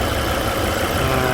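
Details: Volvo C30 petrol engine idling after repair of a whistling noise: smooth, steady idle hum with even tone, no whistle or knocking; the previous noise is gone and the work appears successful.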